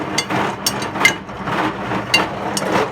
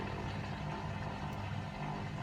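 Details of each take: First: Hotpoint WMA50 washing machine, left out in rain 2–3 months, fast wash with about 10–15 kg of heavy chains: loud irregular metallic clanks and bangs as the drum turns as the chains hammer inside, then quiet and water rushing in to refill for a rinse. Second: Hotpoint WMA50 washing machine, fast wash with 10–15 kg heavy chains, after final spin: steady low electric hum of drain pump still running normally, no knocking or grinding.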